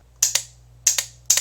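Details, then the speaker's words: Motorcycle 12-volt relay bench-tested with 12 V applied across its terminals during hard-starting ignition troubleshooting: crisp paired clicks as power is applied and released; relay switching correctly. "but we hear that click that's the relay inside working correctly"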